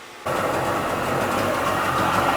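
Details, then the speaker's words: Sea-Doo XP 720 two-stroke, freshly rebuilt, about 10 minutes into driveway run on flush hose, pump disconnected so bearing stays cool; even buzzy idle at constant pitch without misses or knocks: normal idle, purring along. "Alright, we're letting it run about 10 minutes now. No, the pump is not connected because we wanted it to just sit here and run. So we don't have the pump connected so the bearing isn't getting hot. But she's just idling, purring along, man."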